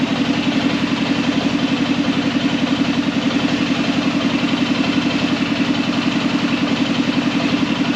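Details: Arctic Cat Prowler engine just rebuilt with new pots (cylinders), first start after priming the carb: steady low idle with a smooth, unbroken pulse rhythm, no rattles or stumbling; healthy, though air in the system still needs bleeding.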